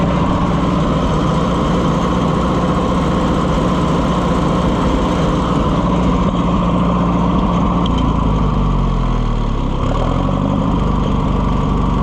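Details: Oliver 550 loader tractor, long abandoned, just started: engine hunts and stumbles, beat wandering and sagging, only running, kind of, with choke pulled; owner says it's missing; rough running, cause not confirmed.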